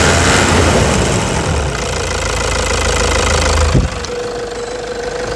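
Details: 2009 Toyota Hilux diesel at idle after repair, injector nozzle tips and elements replaced on all four injectors: even diesel clatter with no heavy knock standing out; normal idle.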